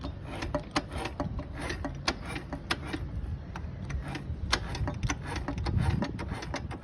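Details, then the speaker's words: Piston skirt slap on a 2022 Yamaha Fazer 250cc: uneven light knocking and ticking over a low engine rumble, sharp clicks about each second, traced to the cylinder rather than the balancer gears; clutch basket also has excessive play. "Então tá batendo saia de pistão também"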